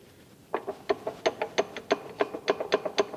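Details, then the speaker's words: 1974 Ford F100 4x4 big block, sat for decades, front driveshaft missing and yoke chipped: loose metallic clicks and clunks, about four per second, as the universal joint is rocked by hand; worn universal joint, completely gone. "that joint is gone absolutely gone"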